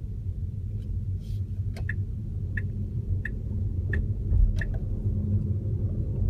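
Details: Tesla Model S driving: quiet road rumble with a crisp click from the left front area, evenly spaced, starting right after releasing the brake, only above 25 mph; cause unknown.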